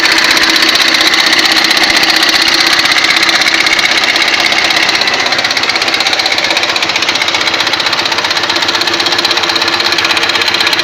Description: мотоцикл урал, кто связывался с таким стуком, по слуху вроде бы как в распредвале